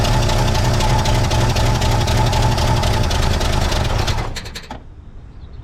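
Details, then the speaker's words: 1963 Pontiac Catalina 389 four-door hardtop, not run in 12 years, during first start attempts with distributor timing being adjusted (advanced): engine runs hard and fast, then a few quick metallic rattles clatter out as it dies; source undetermined. "What was that clattering sound right there at the end?"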